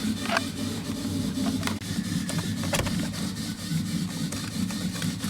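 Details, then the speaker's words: 2011 Ford F-250 with a swapped-in 2015 6.7L Powerstroke that won't restart. Continuous buzzing hum with rattly chatter at key-on that never stops, and no start or codes. Faulty plug on top of the fuel pump; the MAF was also installed backward. "This is gonna be like the 10th time, 20th time probably, cycling this fuel thing, and it won't quit making that noise, and it will not start."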